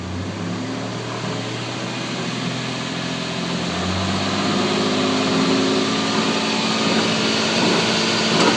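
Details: 1996 Toyota 4Runner driving, rear end fluid already changed with no excess metal: rough grinding drone rising with road speed from the rear; owner suspects a wheel bearing, unconfirmed.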